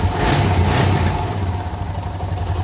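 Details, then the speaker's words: Suzuki DR650 single after fitting a K&N air filter and UNI secondary breather filter: crisp thumping through quick blips with no popping on the overrun; breathes better, and the slight deceleration backfire from the stock filter is gone. "It honestly sounds like it's breathing a little bit better."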